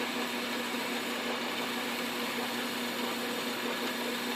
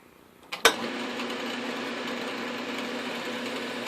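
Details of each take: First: Lathe turning a South Bend 9x24 pulley, cooled and locked back onto the arbor so it no longer slips on the shaft: steady even hum and whir, no knocking or surging; normal running. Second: South Bend 9x24 lathe pulley being turned on an arbor: one sharp clunk over an even lathe hum, then a steady run, as the pulley shifts and loosens on the arbor while the work warms up.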